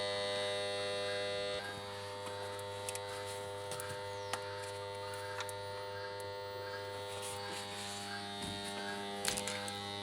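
A loud, steady electric buzz from a washing machine's water inlet valves cuts off near the end.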